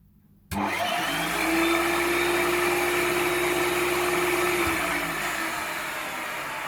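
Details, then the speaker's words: 1993 Hoover Turbopower 1000 U2814 upright vacuum from the tip, before cleaning; steady strained mid-pitched motor drone sagging near the end; hose clogged, pre-motor filter clogged, bag full, bag-full light on. "right look brushroll seems to be tarnished put it is clogged so it's clogged and the premotor filters clogged and it's got a permit back and it's full of dust"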